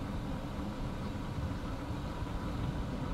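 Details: 2013 Toyota Altis top-of-line V after replacing the driver-side engine support to cure vibration: steady, even low idle with aircon running and no shudder or knock. Smooth, normal idle.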